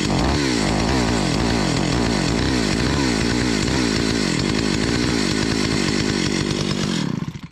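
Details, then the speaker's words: 43-year-old Stihl 028 Wood Boss chainsaw runs rough with uneven, stumbling firing, then dies. A spark test light flickered weak and bright in step with the running, and an ignition tester confirmed a weak, intermittent spark causing the misfire. "I am not getting consistent spark that was uh quite convincing the light was weak bright weak bright and it was correlating with how it was running"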